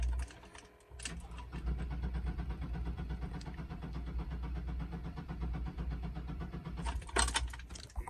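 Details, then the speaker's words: 2000 Chevy Blazer, known for stalling while driving, left parked then cranks at an even rhythm for several seconds but never catches or fires; crank-no-start, cause unconfirmed. "y bueno, cuando regresamos, no quiere prender la blazer, para"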